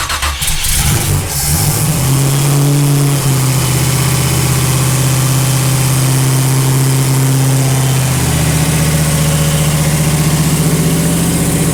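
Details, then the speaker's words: Split-bumper Camaro with freshly swapped 468 big-block Chevy V8, after it quit on the road and fuel delivery was checked: it cranks, fires cleanly and settles into a deep steady idle, "sounds pretty good", running properly. "[Music] that sounds pretty good [Music] [Music]"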